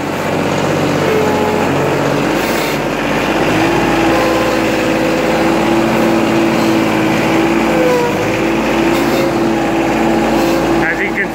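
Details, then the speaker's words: 2011 John Deere 4110 tractor, about 298 hours, cold start at about 50°F: steady mid-pitched whine over the small engine when moving forward; normal hydrostatic transmission whine with cold fluid, filter change nearly due. "it's the same for word wine like I said before there's nothing to worry about that's normal with all hydrostatic transmissions when the fluids cold"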